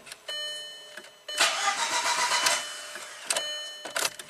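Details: 2003 VW Passat 1.8 L turbo, 150k miles, long sitting: starter churns in separate uneven bursts with gaps, needing repeated crank attempts before it fires; P0341 cam position range/performance code sets each time. Hard start, long crank; cause not yet confirmed.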